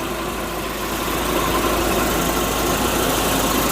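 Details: Volvo 740 after cooling system overhaul and new radiator, coolant filled before warm-up: even, steady idle with no puffing or ticking; engine sounds sealed and healthy.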